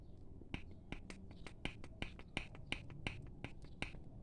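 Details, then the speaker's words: 2014 VW Gol G6, front suspension noise over bumps, heard inside the car: rocking the front wheel gives sharp metallic clicks two or three a second from play in worn ball joint and tie rod end. "e perceba que o barulho esse barulho talvez chegar pouco aqui fora né mas quando a gente está dirigindo a gente sabe que é um barulho que incomoda muito entrou dentro do carro né"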